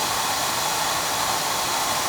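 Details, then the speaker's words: Burnham oil boiler during annual service: even, steady roar of flame and fan with no pulsing, sputter or rumble; good draft over the fire and good oil flow, so existing filters need no changing; burner firing cleanly. "Yeah, we got draft. We got draft over the fire. That's what we want."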